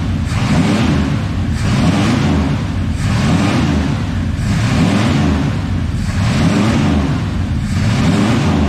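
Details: 1986 Ford F250, 351 Windsor V8, just restarted after the pickup coil was moved closer to the gear to restore spark: rough, lumpy idle surging about every 1.5 seconds over a loud hissing rush. Owner suspects fuel-flooded oil and serious vacuum leaks.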